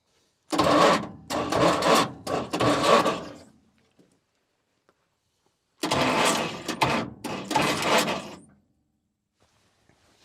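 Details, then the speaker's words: Repossessed cotton picker with 8.3 Cummins diesel, full throttle: two sluggish three-second cranking bursts with uneven dragging strokes and no catch; starter labouring against the belt-driven hydraulic pump. "It's turning this hydraulic pump."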